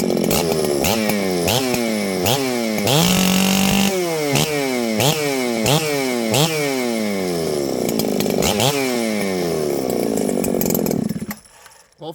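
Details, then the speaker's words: Ported Husqvarna 394XP chainsaw, freshly assembled after years boxed, after troubleshooting fade-out and no-run (suspected needing a coil), started on choke: clean revving, repeated blips back to steady idle, crisp even firing, no misses; running right, fixed. "I'd say it's fixed let's see how this thing restarts really important to me that my saws restart easily"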